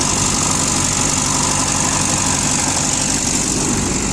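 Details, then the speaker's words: Komatsu FG30 3-tonne forklift, Nissan engine, heard with the cover open after an easy start: even idle under high hiss and fan noise, clean exhaust; normal idle. "что двигатель работает ровно. По выхлопу я думаю, что также видно."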